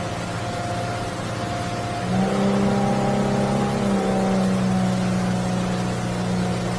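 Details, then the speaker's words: New 2023 Yamaha F300 outboard repowering a North River 24 Seahawk, water test: engine note jumps as throttle opens, then a clean rising drone with no misses, about three seconds to plane; normal acceleration. "okay and it's about three seconds to plane so I'm gonna just hit it right here that's really good for a big boat like this"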